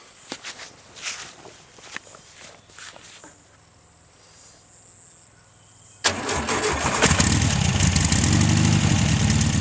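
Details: VW 1600 flat-four, sat 10 years exposed to salt spray with no air filter or distributor, first start: quiet clicks, catches at six seconds, settles into steady even idle while blowing rust out the exhaust; normal running.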